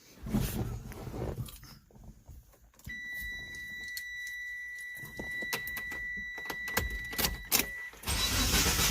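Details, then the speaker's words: 2G Mitsubishi Eclipse GSX 4G63, first start after a long rebuild: it idles unevenly with a steady high whistle and stumbling beats, staying alive only with throttle. The owner is pretty sure of a bad vacuum leak. "So, the car's running. There's a few big issues, as you could hear. I can keep the car running with some good pressure on the gas and some other things like that."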